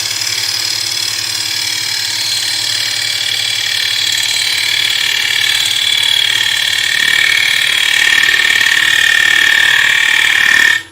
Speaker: that noise is because i'm chattering on the wing i'm taking around about five six mil timber here in one go